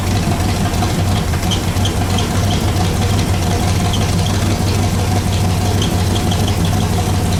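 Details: Pontiac Bonneville (Pontiac 455) after freeing stuck Holley floats and raising idle; steady V8 idle, low even rumble about three beats a second with light ticking, no knock; 40 psi oil pressure; normal idle.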